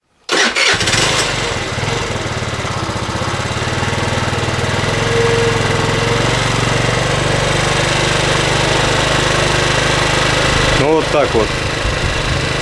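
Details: 2008 Racer Salut MT50QT-19b scooter, 139QMB engine, after repair of no-start caused by valve problems and carburetor adjustment: starts after short crank, fairly steady even putter without misses; valves still tick slightly; idling normally.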